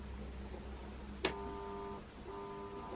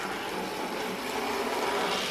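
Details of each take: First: 40+ year old Bachmann De Witt model train, motor in tender, turned too low; click then quiet steady hum, motor trying to kick but not spinning up; too little voltage, stalling. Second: 40+ year old Bachmann De Witt model train set, motor in tender, speed turned down on track without underlay; soft even whirring hum, steady pitch, no stutters; smooth running, only occasionally jerky.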